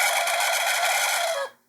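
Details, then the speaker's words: Worn-bearing 12V boat bilge pump, switched on and off directly from a battery circuit via a switch, screams with a steady high-pitched squeal, then winds down and stops; bearing squeal. "Okay, you can hear it screaming."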